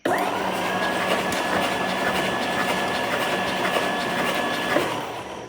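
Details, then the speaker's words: 1962 Studebaker Lark, parked under a tree for years, not yet running: starter cranking the engine over steadily with no catches or knocks, turning freely, to push out unknown oil before ending the day. "Turn it over a little bit more. Get that mystery oil out and then we're going to call it a night."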